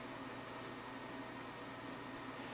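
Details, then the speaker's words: Fostex D1624 hard disk recorder after swapping its noisy cooling fan for a scrap power-supply fan, mounted with minimal mechanical contact to the drive box: steady even whoosh with faint hum, no rattle; quiet normal running. "if it can sound like that I'm perfectly perfectly willing to settle with that"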